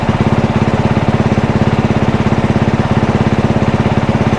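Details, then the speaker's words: One-owner 2022 dirt bike with about 25 hours, while switching traction control maps: steady, even thumping idle, clean regular beat, no knocks or misses; sounds and runs good. "Engine kill. As you can see, the thing sounds good. It runs good. I'm excited to get playing on this thing and get it all together."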